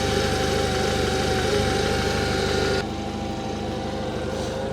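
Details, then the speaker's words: Cheap used combustion car bought for 400 euros, engine idling: steady thin whine at an even idle, traced by ear to the accessory drive belt area. "Pannaas vielä mylly käyntiin ja kuunnellaan vähän mistä se vinkuminen [Musiikkia] kuuluu. Kyll se täältä apulaiten hihnalta"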